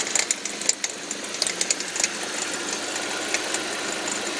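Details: 2005 Audi 1.8T with a new popcorn-like rattle only under load in gear, no check engine light or oil pressure errors; seems to come from near the alternator, cause unknown: light, irregular crackle and rattle over a thin engine hum.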